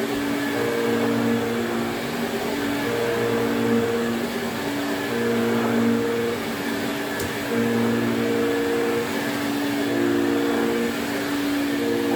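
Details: 1980s Electrolux Twin Turbo 500-series exclusive (1988 Z517 or 1989 Z521) with a 550 W motor, on a quick run test. Steady motor drone at constant pitch with a slow, gentle pulsing and no rubbing or grinding. Motor sounds fine and suction is good.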